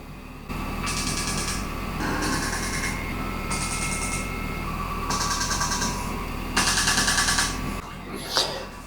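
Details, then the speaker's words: Normal injector test on a custom Bonneville land-speed bike, turbo Suzuki GSXR 998cc engine with MaxxECU: repeated second-long bursts of fast sharp ticking with pauses as each of 4 injectors is pulsed in turn. "Next system will be the kill test that till we have pressure. So 4 injectors to test."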